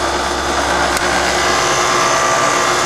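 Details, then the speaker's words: Older York heat pump condenser fan motor drawing 0.8 amps, matching the 0.8 amp data plate rating, about 72°F outside: smooth steady airy whoosh and hum, no grinding, squeal or rattle; bearings not going out, normal fan operation. "And the data plate says 0.8 for the condenser fan motor, so we're good there. We know that the fan bearings are not going out."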